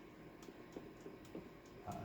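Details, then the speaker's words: Restored Singer 99 sewing machine on final test, sewing; quiet hum with a light, quick even rattle from the bobbin itself in the bobbin race and hook area, normal for this machine, nothing wrong. "the bottom on this one is just a little bit noisy there's nothing wrong uh it's just i think the nature of this machine uh it's a little bit rattly in there"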